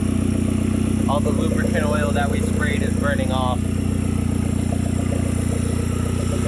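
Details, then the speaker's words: 2010 Hyundai Genesis Coupe 2.0T, first start after head gasket replacement and new 38k-mile OEM turbo: steady smooth idle, exhaust piece not yet fitted; timed correctly, firing well, no misfires. "sounds pretty good though all right so gives you guys just saw it runs good we timed it correctly she sounds like she's in time firing well no misfires"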